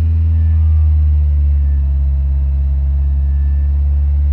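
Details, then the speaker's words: Petrol car converted to hydrogen, stock ECU, about 8 bar hydrogen tank pressure, not at full operating temperature, no load: steady even drone at about 2000 rpm, no knock or stumble. Timing slightly below petrol; runs fine. "that's where we're at at the moment so it's a little bit less than where it was before but seems to be working absolutely fine"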